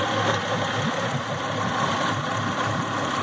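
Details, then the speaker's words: Yamaha F250 V6 outboard with water in the fuel from a broken fuel vent cover, being flushed with fresh fuel running off shop fuel: uneven, lumpy idle with stumbles; misfire on at least one cylinder from water in injectors and rails. "definitely got a miss on at least one cylinder so i don't know if y'all and youtube lane can hear it but definitely got at least one cylindrine hidden hold"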